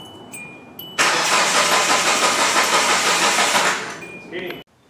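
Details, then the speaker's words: Budget race car project cranks steadily at about three beats a second for nearly three seconds but never fires, as if lacking fuel or spark; cause found to be connectors left unplugged after wiring tidy-up. "sounds like it's not getting fuel fuel spark any of the above anything that I just did it's pretty brutal [Music] hey dude well at least it turns over now that's better"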